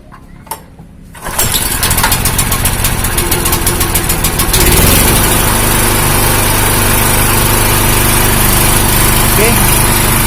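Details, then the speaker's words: Honda GX160 engine on a 2000-watt generator hunting at idle, speed rising and falling instead of holding steady, unchanged after the spark plug cap was swapped; surging of undetermined cause. "ternyata masih belum ada perubahannya temen-temen di bagian gasnya naik-turun naik-turun"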